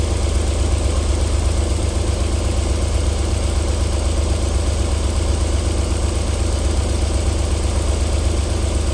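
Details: 1994 Alfa Romeo 3.0 24v QV engine, cold start-up idle with a steady, even low thrum and no knocks or ticks; a normal cold idle, with knocking returning after about 4 minutes.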